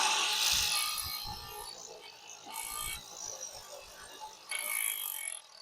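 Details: DeWalt DCST925 string trimmer after fitting a Husqvarna T35 replacement head, battery reconnected, test run: short bursts of high, thin motor whine spin up and die away; head runs freely with no rubbing; works normally.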